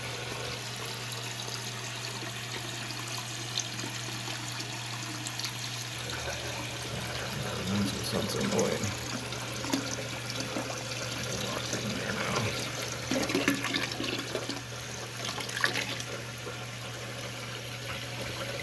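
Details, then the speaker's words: Toilet tank refilling after the owner replaced a part to cure a hissing, won't-fill problem: steady hiss and trickle of water with a constant low hum underneath; appears to work normally and shuts off. "Seems to be working. Is it working? So far, so good. Now it's just filling up."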